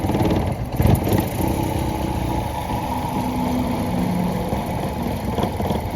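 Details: Maruti Suzuki engine: lumpy, uneven idle with irregular stumbles and dips in the exhaust beat, consistent with a misfiring cylinder. Engine misfire.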